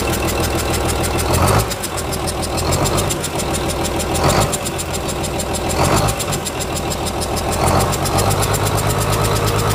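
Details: Komatsu S6D125 diesel test run after a general overhaul (crankshaft, liners, pistons, conrods, bearings, pumps and turbo replaced) following a broken piston: steady, even heavy idle with a periodic hiss from the air compressor and clean exhaust. Healthy.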